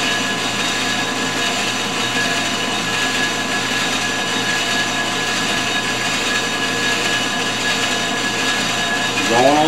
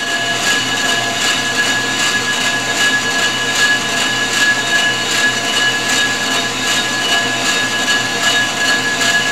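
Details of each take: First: Ford 460 flywheel being faced on a G0776 lathe with a CMG insert, short rigid tool: steady even cutting hum, constant tone, no chatter or squeal; smooth facing cut. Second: Ford 460 flywheel being faced on a G0776 lathe, cutting from the inside out: steady high-pitched ring over the cutting hiss, pulsing about once a second. Tool chatter ("ringing the bell") as the cut moves farther out.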